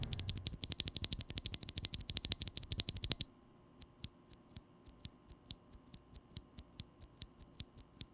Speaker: the glorious panda has a particular leaf spring tick noise or ping that could be a problem to some